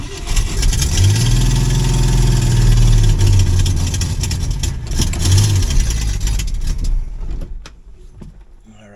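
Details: 1966 Ford Mustang, newly acquired and reassembled: catches and revs, then idle sags and surges unevenly and nearly dies. Rough, unstable idle; owner suspects the carburetor, possibly a vacuum leak at its base, and plans to pull it.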